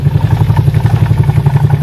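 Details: CVT scooter idling: rapid rattling clatter, roughly eight knocks a second, from the drive side; engine was quiet with the whole side cover assembly removed and the pulley and bushing had no play, pointing to a worn, dry torque drive with excess play.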